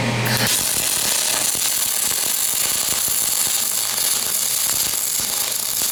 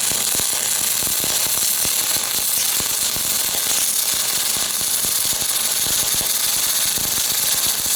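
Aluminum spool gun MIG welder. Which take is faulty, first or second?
second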